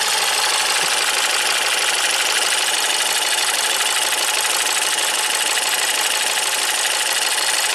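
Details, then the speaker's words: Ford EcoBoost van with intermittent P0106 code, warm after hot soak, fuel volume control valve at 11%, turbo audible; fast light metallic bell-like ringing tick over steady idle; owner unsure if normal, source unconfirmed. "you hear that sound like a little bell is that normal let me get the scanner sounds a little ringy"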